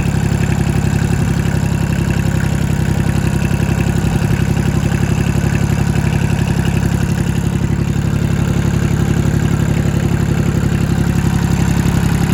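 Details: Engine running hot after a knocking-sound fix in which removed parts were put back. It holds a steady, even low chug of about four beats a second with no knock or miss, and runs smoothly once warm.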